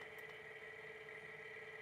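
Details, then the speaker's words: Sole F85 treadmill incline motor raising the deck on command from the console, with its worm gear turning; a quiet, even electric hum at steady pitch with no knocks or grinding, so normal incline motor operation. "incline motor is moving you can see that right there that's the that's the worm gear turning"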